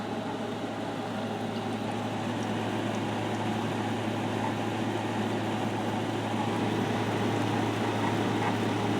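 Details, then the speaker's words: 2020 GE 5,000 BTU window AC, set high max cool, at startup: steady fan rush over low compressor hum with faint uneven swishing as refrigerant first circulates, loud when starting; normal for this unit. "And as you'll hear, the refrigerant is quite loud on it when it first starts circulating."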